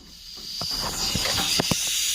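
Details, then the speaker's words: 3-inch Fowler traction engine cylinder, air line pressurising one side of the piston: steady, loud hiss of air with light clicks, air leaking past the piston into the exhaust, bubbles and oil moving; bad leak. "quite a bad leak coming through. You know, you can see the bubbles, but you can see the oil moving around down in there."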